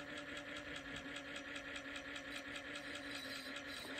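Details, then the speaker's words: Ford Model A 6-volt generator bench-tested as a motor, oiled, with light drag applied: steady hum with even brush ticking, no stalling under load. Normal generator running under load. "I like to put a little drag on it just to see uh underload you know when the motor is underload sometimes it'll stall but sounds pretty good"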